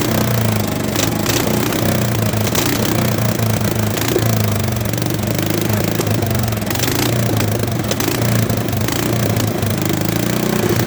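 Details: Old Bolens tractor from the late 60s or early 70s, sat in a barn for years, started with bypassed ignition; steady low chugging with an even beat, no knocks or misses: normal running.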